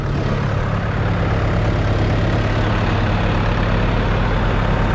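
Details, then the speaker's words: Diesel farm tractor run low on fuel, just started by towing with a chain and popping the clutch, air purged from the fuel line: deep, steady, even chug with no misses or knocks, running normally. "And you can hear it running. And what I had to do is get the air out of that line."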